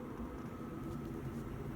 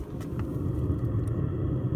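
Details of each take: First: 5kW Chinese diesel heater heating a home, heard outside about 11.5 ft away and compared with a running car and the central heating: a steady, deep, rushing exhaust roar, louder than both. The owner suspects the silencer design. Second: 5kW Chinese diesel heater heating a home, restarted after running on 2 pins to check for excess fuel burn, now fired up on 3 pins with warm air coming out: steady low rumble, even hum, no knocks or surging; normal running.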